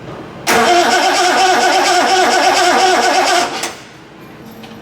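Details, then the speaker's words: Triumph TR6 under restoration, on a start attempt: steady cranking for about three seconds with no firing. There is no spark at a test plug, later traced to alternator connections wired the wrong way, with the coil lead connected elsewhere. "there's definitely no spark on that so I've got to investigate the ignition system"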